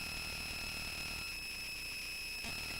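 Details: A steady high-pitched whine over hiss, never changing pitch, comes from a speaker output; electrical noise is suspected. Not confirmed.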